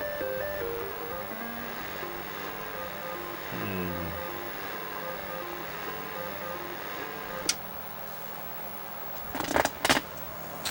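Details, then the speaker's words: ColecoVision on a TV after its power switch was cleaned: game tunes play over a constant surf-like rushing hiss; the RF modulator adjustment screws are the next thing to check. "Alright, well, sounds like there's an ocean in there."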